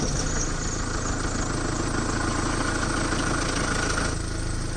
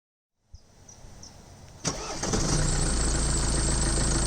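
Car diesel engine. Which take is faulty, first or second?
first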